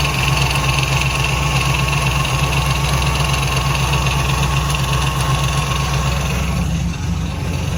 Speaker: i think it's coming from the power steering pump i'm gonna turn on the engine and let you hear it it's kind of a it's a noticeable rattle at idle and it increases with rpm speed